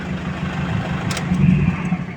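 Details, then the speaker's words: Toyota Hiace GL Grandia after starter restoration with new brushes and contact points, phone placed under the vehicle by the wheel: short crisp crank with a slight whistle, engine catches at once and idles steadily; starter now working properly. "Narinig nyo yung parang sumisipol kadali. So yun, working properly na kadali."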